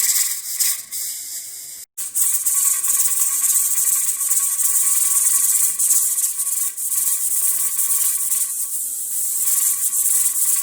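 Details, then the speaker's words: Pressure canner with chili held at 10 to 11 psi: continuous high steam hiss with irregular rattling flutter as the weight rocks on and off; normal regulator jiggle, stronger dancing signals pressure going higher. "so that's a way you can keep an eye on your canner without physically having to look at it you can listen to it so i can be working in the same area but as long as i can hear it i'll know whether it's at 11 pounds of pressure or not"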